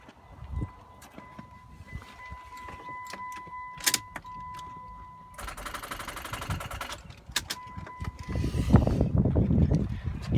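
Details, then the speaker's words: About three-year-old battery with corrosion on the positive terminal: chime, then short sluggish crank at about four beats a second that labours and drags; battery getting weak, terminal voltage drop only 6 millivolts. "getting fairly weak, as you can hear."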